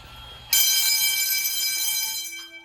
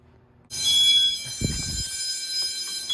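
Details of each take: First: School fire alarm test, Edwards 6500 and IO64 systems: a loud ringing bell tone starts abruptly, holds about two seconds, then fades; the alarm bell works. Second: School fire alarm test, Edwards 6500 and IO64 systems: high piercing electronic tone pulsing about once a second, a supervisory signal left unacknowledged on purpose so it is heard until reset.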